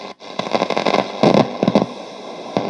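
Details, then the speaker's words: c.1989 Hitachi MS-W600W twin cassette boombox radio after shed storage: irregular crackling static bursts over hissy background; switch, volume and balance controls all noisy, owner suspects dust and grime or a fault; radio unusable. "I think there's just so much grime in there, or maybe it's faulty. And even the balance is noisy, so all the controls are going to be full of dust"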